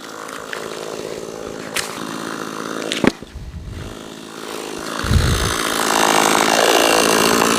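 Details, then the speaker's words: Cheap Amazon chainsaw started with choke (first pull tried to start), then the first cut: a few pulls and handling, then it settles into a steady, even buzz under load while cutting. Runs fine. "so we're gonna depress the choke and then try to start it up all the way not too bad for the first cut"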